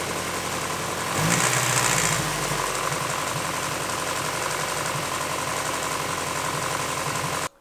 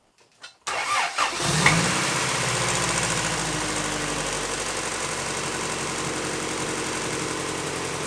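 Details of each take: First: Engine idling before an aftermarket timing belt tensioner is installed, with the factory tensioner maxed out. The idle is uneven, with a light, irregular slapping patter from the front as the loose timing belt visibly flaps. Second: Engine just started after installing a 1320 timing belt tensioner, which replaces a factory tensioner that maxes out and allows slop. It fires quickly and settles into a steady, even idle with no slap or chatter from the belt area. Normal idle.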